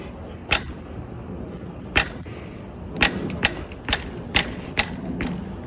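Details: RockShox Pike fork on a 2020 Canyon Spectral AL: sharp single pops at uneven intervals, about seven in six seconds; source not yet found, and a riding companion suggested checking the frame.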